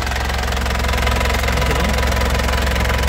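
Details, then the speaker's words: 2007 Isuzu Panther LS Turbo diesel at idle: even, steady clatter, firing pulses about three per second, no ticking or rough noise, stable vibration; healthy engine, injectors and pump judged good. "Lur, mesinnya dari suaranya kelihatan masih renyah ya. Renyah, sehat. Renyahnya kas penter lur ya. Suara mesin sehat seperti ini, Lur. Stabil, renyah ya."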